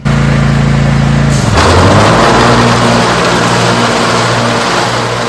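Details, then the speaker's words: Cub Cadet zero-turn mower after the owner changed the blades: engine idles smoothly, then the deck engages and a harsh knocking clatter starts, from improperly seated blades. "That sounds terrible. So what's going on here? Why is it making that terrible sound?"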